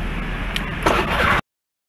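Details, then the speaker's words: Honda Spacy FI scooter idling: a raw, raspy chuff with a harsh puffing edge rides on the idle, then the engine cuts; exhaust leaking at a missing exhaust bolt. "bunyinya nih kalau knalpot bocor begitu percaya beda suaranya nanti kita akan bedain ketika dia sudah dibenerin"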